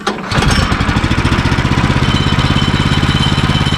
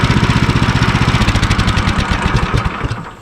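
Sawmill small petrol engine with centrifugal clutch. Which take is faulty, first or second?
first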